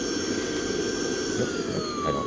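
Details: Tineco Pure One vacuum, a few weeks to a month old, brought in with a problem: high motor whine sliding lower as the speed setting changes, airflow sounding choked; tube found clear, clogged filter suspected as the cause.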